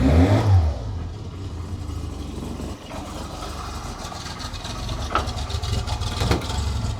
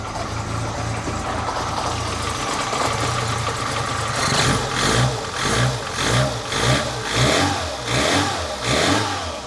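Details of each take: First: 1985 Lancia A112 Abarth, 1050cc Fiat four-cylinder, just started cold. Low idle with an uneven, slightly lumpy beat and a hint of clatter. Rough cold idle, attributed to being cold. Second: 1985 Lancia A112 Abarth, 1050cc Fiat engine, after replacing a worn distributor cap and rotor. It starts and picks up cleanly through quick, even blips, running smooth and healthy.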